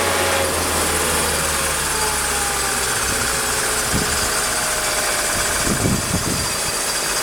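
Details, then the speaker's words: Mercedes M104 engine with damaged ETA throttle body wiring, cold start after sitting a day: catches quickly, steady even idle without misses or hunting, slightly louder with the air pump on; normal idle. "Well, as you can see, the car started right up. Runs pretty smooth. Air pump is on right now, so it's a little louder."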